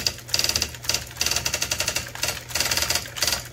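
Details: IBM Wheelwriter 6783-2 Korean typewriter after repair and internal cleaning, test typing. Crisp, even bursts of rapid clacks with no drag or misfire; typewriter operating normally.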